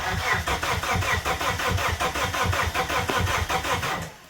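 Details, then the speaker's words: Abandoned Plymouth Neon, sat at least 8 years: starter churns with even compression pulses about four seconds, never catches; crank no-start from missing fuses. "okay so we're still not getting anything"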